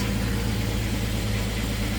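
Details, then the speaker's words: 1999–2004 Jeep Grand Cherokee at idle just after fuel filter replacement: smooth, settled idle with a constant low rumble, no misses or knocks, no leaks; running normally. "No leaks. It's running fine. No leaks. Running absolutely brilliantly."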